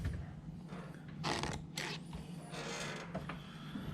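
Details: Whirlpool dishwasher door making loud squeaks when opening and closing; scattered short creaks as the door moves and closes: door squeak.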